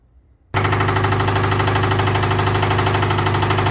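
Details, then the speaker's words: 2007–2012 Nissan Sentra 2.0 with failed CVT transmission: starts into a loud, fast, regular metallic knock about three per second over a rough idle and won't stay running; owner suspects rod knock. "as you can see and heard that loud knock it's a probably a rod knocked down in there um if your car sound like that it's time to swap out the engine"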